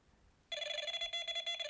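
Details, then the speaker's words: Delkim bite alarm switched to plus range with sensitivity cranked to 6: quiet, then a shrill tone breaking quickly into a fast pulsing warble; normal, very lively high-sensitivity response. "you can see how massively lively that is and how quickly that goes into the warble."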